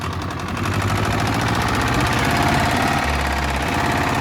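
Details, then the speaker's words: Steyr 650 tractor diesel rolling under its own power for the first time in about 30 years, brake stuck on, smoking heavily: heavy, fairly regular knock about three per second over the rumble; engine knocking hard, source not confirmed. "But that engine definitely needs some attention. That is knocking hard."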